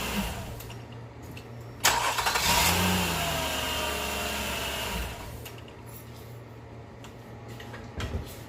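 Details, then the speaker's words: Nissan Murano 3.5L after one new belt is installed, with only that belt fitted and spinning: brief crank, then an even idle with no squeal or chirp. The belt squeak is gone so far. "well that's a good sign so far there's no making a speech in noise"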